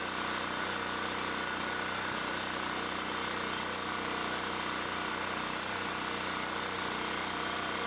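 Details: Champion 3500 W generator after carburettor cleaning, having sat all summer with old gas and run only on full choke; steady even drone, no misses or surging; runs smoothly, normal.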